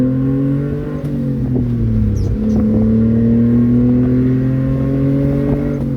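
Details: 1994 Honda Acty 4x4 truck, 660cc three-cylinder gasoline, 5-speed manual, 114k km: loud raspy note rising and falling with revs from an exhaust leak ahead of the muffler.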